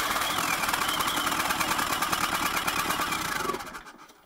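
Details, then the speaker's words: Turbo diesel engine for home-built 20kW generator, started again with no cooling water, on leftover fuel in the lines: fast rough clatter for about 3.5 seconds with heavy smoke, then sags and dies as fuel runs out. "so yet we had it running briefly was a lot of smoking out there is some fuel in the line which is fired up again and"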